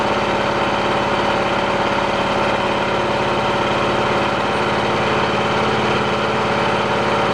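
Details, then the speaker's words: Cub Cadet lawn tractor, hydrostatic (likely Peerless) transmission suspected bad, tested unloaded on lift: steady engine drone, even pulse, rear axles driving with no whine or grinding; normal hydrostatic operation. "I think we hop up on there and we fire it up and we see if those back axles uh start moving here we go it's pivoting on the front axle all right"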